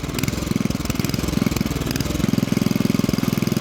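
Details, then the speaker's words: 1971 Toro 7/26 snowblower after drive repair: small engine idling with an uneven, loping thump about three times a second, rough idle; owner believes it needs idle adjustment, not confirmed. "i can't listen to this no it's not it's bad it's adjustment vital adjustment the idle adjustment i know it's the idle adjustment"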